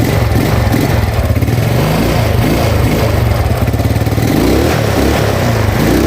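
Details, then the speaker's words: Yamaha Mio Sporty carbureted scooter after replacing the carburetor vacuum slide with its needle (needle jet kept): engine idles steadily and picks up cleanly and responsively on throttle with no stumbling or popping; normal throttle response. "Oke ya, sekarang sudah langsam, sudah mau digas ya, sudah responsif gasnya ya."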